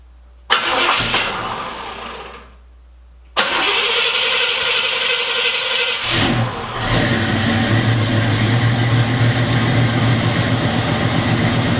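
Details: 1980 Chevrolet Camaro Z28 with factory LM1 350 V8 and Turbo 350 automatic, parked 5 years, now with fresh fuel and new plugs and wires. It cranks in bursts, catches and settles into a steady, even, throaty idle with no misses or knocks.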